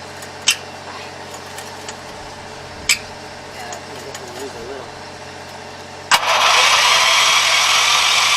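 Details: 7 HP Kohler air-cooled engine on a small hydraulic power unit, unrun for at least two years, after carburetor cleaning, battery charger boosting: quiet clicks, then it catches at once and settles into a steady, even run with no stumble; normal start and idle.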